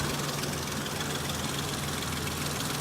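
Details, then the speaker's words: Warm idle after a fix: the earlier unusual noise has gone and the engine has smoothed out, though a faint uneven ticking remains over the steady note. The cause is unclear and is assumed to have been something adjusting itself. "alright so I'm assuming that noise it was making was like it adjusting or something like that I don't know it's gone now it smoothed out"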